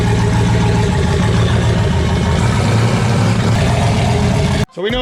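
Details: Ford Mustang with a fresh 408/410 stroker engine, On3 turbo, E85 tune borrowed from a 351, T56 Magnum manual and McLeod clutch: loud, steady fast idle holding evenly about four and a half seconds, then shut off; normal running.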